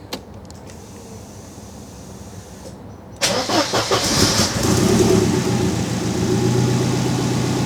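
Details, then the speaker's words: Mercedes 190E with swapped M111 engine, freshly tuned, running after build: brief crank, catches at once and settles into smooth even idle; healthy start, starting power fine. "lovely perfect that's good you know we haven't lost the starting power yet"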